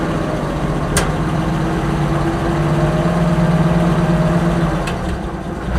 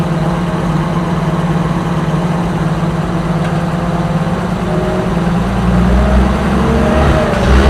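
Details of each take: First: Oliver 525 tractor after governor rebuild: steady, even low idle at about 220 beats a minute with a couple of brief clicks in the background; engine idles normally. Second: Oliver 525 tractor, owner suspects sticky governor flyweights: the engine settles, then its note slowly climbs and keeps rising on its own, revs creeping past the set speed; governor rebuild planned.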